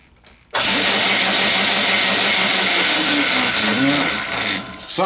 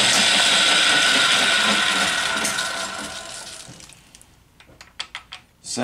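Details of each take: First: Atlas 10F lathe change-gear train running after cleaning, lubrication and reassembly: a dense, steady high-pitched gear clatter and whir, suggesting the gear mesh may be a little too tight. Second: Atlas 10F lathe gear train after cleaning, reassembly and mesh adjustment, one gear still a little tight, before open-gear lubricant: even whir and light clatter with no harsh grinding, then winds down and clicks to a stop; meshes freely.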